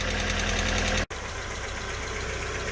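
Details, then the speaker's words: Alfa Romeo 145 Cloverleaf undergoing restoration, warming up at idle: light, fast, regular top-end ticking over a steady idle from a sticking hydraulic lifter, which went quiet after about 5 minutes of warm-up. "The little tick that we had from the top end was just a sticking hydraulic lifter, and that is nice and quiet now."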